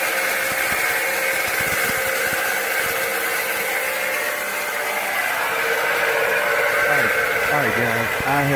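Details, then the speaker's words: Rusty alternator on a car; constant gritty whir with rough rattling at idle, engine running. Alternator suspected but unconfirmed; plan to remove belt and spin pulleys to check. Finding: alternator bearing noise. "The problem is likely the alternator, but I'm not a firm believer in guessing."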